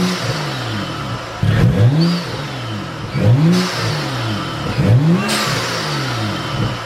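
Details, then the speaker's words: BMW F30 335i N55 after installing BMS Elite Performance cone intake; repeated blips with revs swooping up and down and turbo whoosh, more aggressive sound, healthy engine. "oh my gosh that sounds so much better oh my gosh it's crazy what one mod can actually do to your car"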